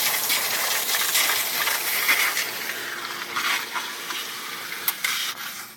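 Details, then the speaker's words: Chlorine pool equipment maintenance, pump priming after servicing with filter tank showing no pressure: loud steady hiss of air escaping from the filter tank air relief valve, thinning and fading as water reaches it; normal priming bleed-off. "The pump's priming back up, getting air out of the sea. The air comes flying out of here. Pretty soon there'll be water coming out."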